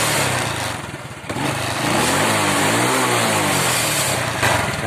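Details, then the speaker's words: Honda Wave 100 after carburetor cleaning, new spark plug and air filter: revs rise cleanly and drop back without stumbling; acceleration now normal, having previously hesitated and stalled when revved. "ก็เร่งได้ปกตินะครับ"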